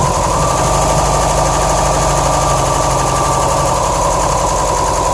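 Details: 2007 Subaru STI boxer idling: lumpy uneven pulse with rattly clatter; shredded check screw screen in the passenger-side AVCS starved cylinders 1 and 3 of oil, issues remain after fix; rough idle.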